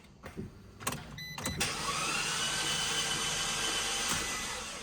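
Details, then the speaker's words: Abarth just trailered home, hard to push; starter spins fast and even with rising whine and no compression pulses, engine turns freely without firing; owner suspects no compression, cause unconfirmed. "So, basically it crank. However, uh it doesn't have a compression."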